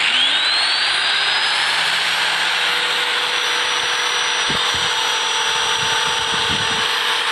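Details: Homemade soft-start device on a motor load, built to stop household power tripping from the large starting-current surge: motor hum climbs smoothly in pitch over the first seconds, then holds steady with no trip. Normal soft start.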